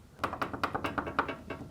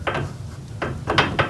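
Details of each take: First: Garage door roller: loose metallic ticking and rattling about every fifth of a second as bare roller stem knocks in hinge tunnel; after fitting a roller stem sleeve, noise greatly reduced and muffled. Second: Garage door roller stem shaken in its hinge tunnel after a roller sleeve was fitted: short, soft clacks with no metal-to-metal ring. The rattle is muffled and greatly reduced.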